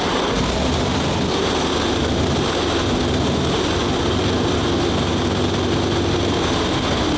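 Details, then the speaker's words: WWII tank radial petrol engine, turned over 55 turns by hand first, started on both magnetos with starter and booster coil: fires and settles into a steady, even, throaty roar with a distinctive note, no misses or knocks; running cleanly and normally. "and it's one of the best sounding tanks in the museum. >> It's got a really distinctive engine note to it."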